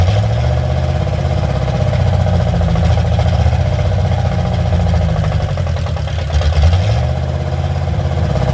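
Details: Carbureted car with only a Y-pipe exhaust: a loud, low, unsteady idle that wavers and dips around six seconds in. It quits after about 2 seconds unless the idle is raised, and the choke-side mixture screw is ineffective; owner blames the carburetor.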